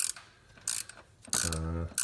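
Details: 2010 Dodge Grand Caravan / VW Routan 4.0 L with the serpentine belt off and the tensioner pulley spun by hand: rattly ratcheting bursts and a rough hum as it coasts. The owner suspects a dry bearing lacking grease; to be greased.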